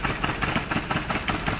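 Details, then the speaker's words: Maruti Suzuki Baleno rough idle with uneven puffs, engine vibrating and check engine light on; pulling cylinder 4's connector changes nothing, so cylinder 4 is dead, coil or plug suspected; cylinder 3 coil already new. "च number का socket निकालना कुछ भी काम नहीं हो रहा है य देख कितना हमारा गाड़ी मिसिंग कर रहा"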